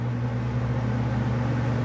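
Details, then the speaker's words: Robeson box fan on high speed: steady, even hum with low drone and soft airy rush, no wobble or knock; fan sits still, runs smooth and balanced. "is it's not moving. It is not moving. So it seems to be in balance."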